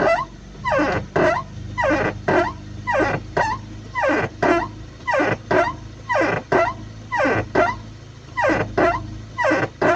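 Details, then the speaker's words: Toyota Corona AT190 at idle with engine running and brake booster under vacuum: creaky squawking groans about once a second each time the stiff brake pedal is pressed; pedal sometimes doesn't fully return, leaving brake lights on. "ทีนี้เครื่องยนต์ติดแล้วนะหม้อลมเบรกก็จะมีแรงลมดูดไปหม้อลมทำงานท่านฟังเสียงนะ"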